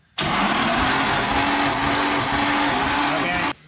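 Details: Nissan SR20DET during compression test, oil recently low: starter cranks the engine at constant speed for about three seconds with a steady whirr and no hesitation; cranking normally.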